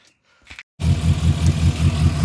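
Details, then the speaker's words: Morris 4-door after winter lay-up, spark plugs cleaned after it ran on two cylinders and wouldn't rev: fires at once and settles into an even, steady low thrum, revs on choke; normal start and idle. "well with the plugs clean she's fired up near the tone of the exhaust give it a [Music] REV choking running nice"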